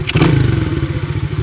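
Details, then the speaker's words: Chinese ATV carburetor during idle and mixture screw adjustment; short throttle blip, then single-cylinder thump sags into uneven, lumpy idle and nearly dies; boggy from incorrect mixture, needs adjusting toward peak RPM. "Eh, that's not bad. No, it's kind of dying out on me. Yeah, I don't like that. It's a little boggy."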